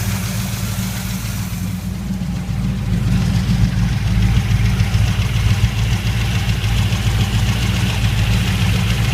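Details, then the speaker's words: Chevy 350 small block V8 in a 1979 GMC K1500 at warm idle: deep rumble with a faint fairly quick light tap heard evenly throughout, only once warmed up, worst just above idle; lifters already readjusted without fixing it. "Starting to hear that mountain sound a little bit. Kind of a light tap. Hear it just about everywhere evenly."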